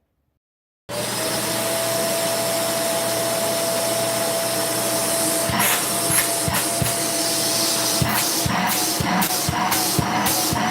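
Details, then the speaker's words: Vacuum cleaner with a suction complaint, tested with the wand removed: steady high motor whine with no valve flutter, pulling hard through the bare hose; normal suction. "You got suction."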